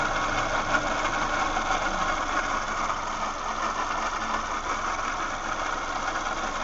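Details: 2007 Toyota Yaris at idle, steady raspy whir from left side of engine near pulleys; doesn't change with revving, slightly louder for a few seconds after fan kicks in; A/C briefly failed last week, cause unknown.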